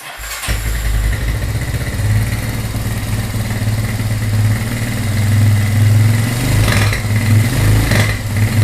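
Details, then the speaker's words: GL100 built with a 250cc engine and recorded in a small studio. It catches at once and settles into a steady, even beat that rises smoothly with throttle, with no knocks or misses; it is running healthy. "Suaranya ya, suara mesinnya seperti ini."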